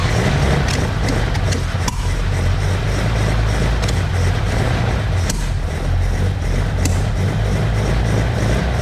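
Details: Ferrari 400GT engine, freshly installed and ignition retimed, on one of its first starts: the big engine catches and settles into a deep, even rumble with no misfire or stumble; starts cleanly, runs smoothly.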